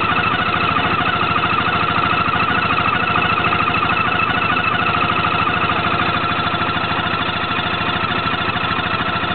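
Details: Peugeot Jetforce 125 scooter engine at a steady idle, with a regular ticking of roughly two per second riding over it. An abnormal mechanical noise from the engine; the cause is unclear.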